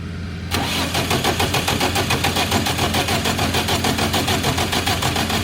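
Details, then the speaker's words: Diesel generator started with intake left off: catches and settles into fast, fairly steady firing pulses, slightly uneven at times, as air is still being bled out of the fuel system. "Alright, we're still bleeding some air out."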